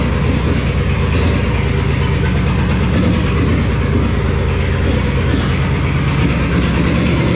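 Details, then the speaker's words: 1966 Plymouth Fury III, 62K miles on odometer, swapped engine: after starting with a little gas, a deep idle with an uneven loping beat where pulses drop out; it sounds like it's missing. "All right, it's picking up fuel. Okay, try it again. Oh, give it a little gas. Thanks so much. It sounds like it's missing."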